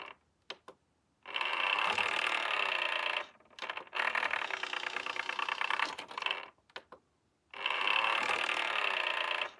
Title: SureFeed Microchip Pet Feeder - Loud noise when operating the lid